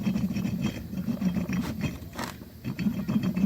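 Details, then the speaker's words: Yamaha Aerox 155 V2 with a typewriter-like noise: removed camshaft inner bearing, just over a year old, turned by hand gives a loose, gritty rumble with uneven rattling; rough, worn bearing, noise transmitting through the housing. "ganyan sa kagaspang. So yung ingay nito nagta-transfer lang dito. Kumbaga nata-transfer lang dito sa box, kaya dito sa housing ng Polar, kaya yung tunog niya ay parang medyo solid na ano, na magaspang."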